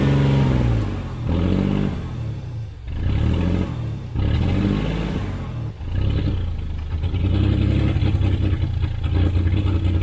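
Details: Abandoned 1991 GMC Sierra, 4.3 Vortec V6, with a new distributor and fuel pump and fuel pressure present: a steady low rumble with a few throttle blips that rise and settle back. Runs evenly, and the transmission pulls.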